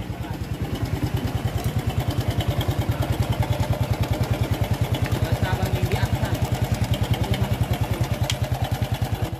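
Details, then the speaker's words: Honda Revo injection motorcycle, under one year old, at idle: light metallic rattle from a noisy timing chain; to be fixed using a disc brake master spring instead of replacing the chain. "Beberapa bahkan belum genap satu tahun dan rantai timing-nya sudah berisik seperti ini."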